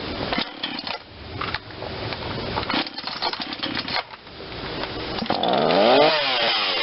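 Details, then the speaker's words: Ryobi 40cc chainsaw, previously non-running, after primer bulb and carburettor work, cold start after choke; rough two-stroke buzz settles into steady running with a slightly low idle: normal cold start and idle. "that's great that idol's maybe a little low you don't want to go so the chain moves"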